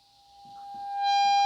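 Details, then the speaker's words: Harmonium reed deliberately made to speak late as a demo while the others sound on time, before repair: the steady reed tone only reaches full voice about a second after the key goes down. "जैसे ये तो press करते ही बज रही है, लेकिन ये थोड़ा लेट बज रही है। बाकी सारी रीड इसकी टाइम पे बज रही है।"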